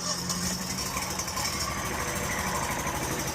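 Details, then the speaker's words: Stihl lawn mower before repair: small engine hunts and stumbles unevenly at idle, sounding like a dirty carburetor but running when given gas; intake manifold gaskets found blown and loose, an air leak causing rough running. "Sounds like a dirty carburetor. Give it a gas and it works. I don't know. I don't think it's anything wrong with the carburetor. I think the intake manifold gaskets are bad."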